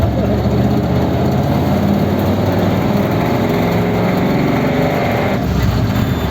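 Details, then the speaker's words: Truck motor on a road test: a constant fine rattle rides on the engine under road noise; the motor is judged worn out and coming out, cause unclear. "she's a bit rattly in shape now that's it this motor's done it's going to come out"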